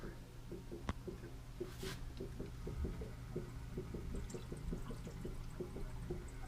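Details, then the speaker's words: Failed Bradford White water heater (no hot water, leak on top), draining via hose with the water shut off and the pressure relief valve opened for air: soft, steady trickle with faint regular drips over a low hum; draining very slowly. "You can hear that it's draining. Open your faucet on a hot water position and you see you don't have pressure anymore, you don't have water."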